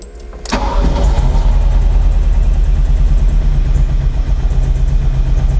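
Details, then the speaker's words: 1978 Ferrari 308 GTB V8, smog pump deleted: it catches, then settles into a lumpy, uneven idle with a missing beat and is clearly not running on all eight cylinders. "You guys are going to notice that it's not running on all eight cylinders. You can hear it."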